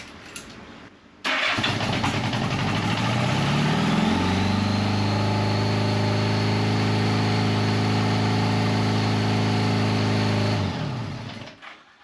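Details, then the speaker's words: 1975 Honda Goldwing 1000cc after rebuilding original carbs: revs climb and hang at fast steady idle with idle screw backed out fully, won't drop; owner suspected vacuum leak, carbs not yet synchronized. "It is backed out all the way, so we got to figure out if we have a vacuum leak somewhere, and again, I haven't even synchronized these carbs yet, so that could be an issue."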